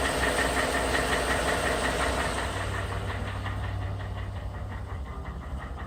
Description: 2011 Ford F150 with 130,000 miles. Has always had piston slap on the number 8 piston when cold.